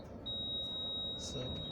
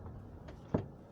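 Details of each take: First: Toyota Camry after moon roof mounting bolts were loosened and retightened, rolling over a bump: road rumble and tyre noise, no overhead knock or clunk; sunroof now quiet. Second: Toyota Camry cabin over bumpy roads: one dull clunk from the roof over quiet cabin hum, occurring on bumps; traced to loose moon roof mounting.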